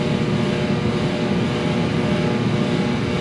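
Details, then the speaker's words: Free diesel torpedo shop heater running in a 12,000 sq ft warehouse, no smell, burning clean: steady even roar with a low rumble, no surging, popping or sputter; normal running. "I may use this, depending on how much it costs to run it. But this thing is pumping."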